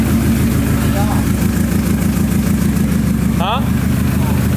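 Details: Loud, deep petrol idle with an uneven, stumbling pulse about three beats a second on first start of a newly built car: misfire because the coil harness under the firewall was not fully plugged in.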